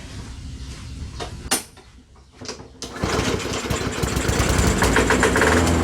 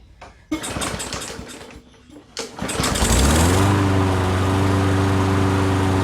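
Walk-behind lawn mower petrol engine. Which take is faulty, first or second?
first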